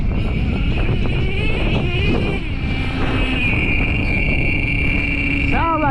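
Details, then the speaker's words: Traxxas T-Maxx with OS .18TM nitro engine and RD Logics dual pipe, tuned to stop hanging: loud raspy exhaust settling into a steady low idle without hanging; idle is low despite loud pipes, running better. "Trust me, that idle is low. It's just them pipes are so loud."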